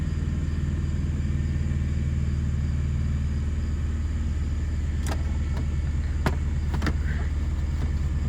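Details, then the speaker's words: Chevrolet S10 pickup after new spark plugs, at idle: deep rumble with slightly uneven beat, one cylinder dropping out now and then; cylinder 2 misfire returns and check light flashes, so plugs did not fix it. "yep there it goes son of a all right let's see i don't get it cylinder two i don't know what's going on in that cylinder"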